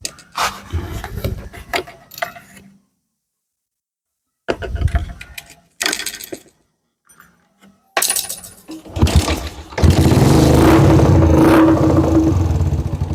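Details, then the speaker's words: Yamaha Jupiter MX that would not start, after replacing the vacuum part: clattering handling, then the small single fires and settles into an even, steady beat; engine now runs normally. "Oke, Teman-temanku semua. E motornya bisa hidup ya, Teman-teman. Motornya sudah bisa hidup."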